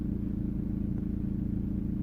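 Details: 2003 VW Passat B5 1.9 TDI 130hp idling: intermittent fast, light metallic rattle from the engine bay over the diesel clatter, unchanged in first gear while moving; owner thinks not the dual mass flywheel, air filter box removal made no difference, source unknown.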